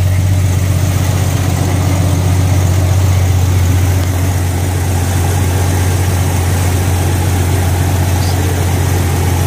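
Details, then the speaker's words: Jeep Cherokee XJ on 36s, six-cylinder, just started after fitting a 135 amp alternator from a 98 Grand Cherokee 5.2 V8: smooth even idle with steady low hum, no squeal, whine or misfire; running normally again. "There we go. Oh, we're back in business."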